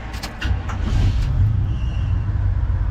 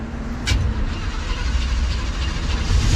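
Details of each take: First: 1974 Chevrolet C10 pickup, reportedly Corvette engine, hot restart after a 5-7 minute heat soak: brief crank then catches at once into a steady idle, no vapor lock; the carburetor adapter plate appears to be working. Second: 1974 Chevrolet C10 with claimed Corvette engine, carbureted, hot start: long churning crank that stumbles then catches into a deep rough rumble, pedal held to the floor; fuel boiling in line and carburetor, bad vapor lock.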